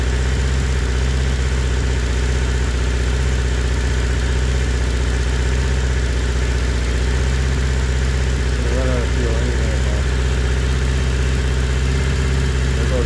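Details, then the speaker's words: 1980 Honda CB650 four-cylinder with the fuel shut off to run the carbs dry: a steady idle drifting up on its own and hunting slightly as fuel runs low, shortly before it dies. Idle surge. "That's when you know it's running low. And all of a sudden it's just going to go, ugh."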